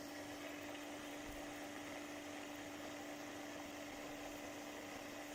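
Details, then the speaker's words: Homemade magnetic motor/generator rig at about 1463–1470 rpm, steady hum with a faint gritty crunch; one of the cheap low-quality rotor bearings is grinding, costing a little speed. "I know why my bearings are crunching a bit. One of the bearings is grinding a bit."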